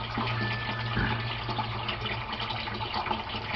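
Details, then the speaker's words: Aquaponics gravel grow bed (about 25 gallons) draining through siphon to the fish tank: gurgling rush of water over a faint steady hum, easing as the level drops near the end; normal siphon drain. "That's the water level draining out. We're getting close to the end of the draining out process."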